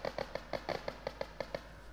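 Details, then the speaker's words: Working parking sensor heard through an electronic stethoscope touched lightly on the sensor tip: quick, evenly spaced ticks about six per second over a quiet background; a sensor that makes no sound is the bad one. "did you guys know you can use a regular stethoscope to hear the parking sensor noise you just put it right on the sensor and you'll hear it beeping"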